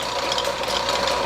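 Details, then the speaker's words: Atlas Craftsman 12 inch lathe model 101.07403, long unused and dirty, running in back gear, low pulley range, slowest speed (believed 28 RPM): even mid-pitched gear hum, faint light rattle, no knocks or grinding; runs normally. "but okay it's in back gear so actually uh looking at the pulley setup we're in the low range over here and we're turning as slow as we can here"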